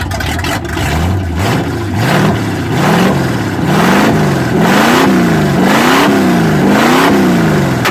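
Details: Squarebody after the headers were refitted using silicone as gasket, heard up front by the fan: engine blips smoothly with a clean rising and falling exhaust note, no ticking or puffing; quiet, exhaust flanges now sealed.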